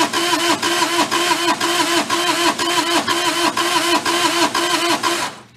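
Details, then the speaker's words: Mid-1980s Bobcat skid steer, possibly a 642, diesel, non-running, glow plugs heated: steady starter cranking at about two compression beats a second that never fires; cranks but no start, owner suspects tired engine with low compression. "my guess is that the engine's tired and they just weren't able to get at the start that's just a guess of my part right now"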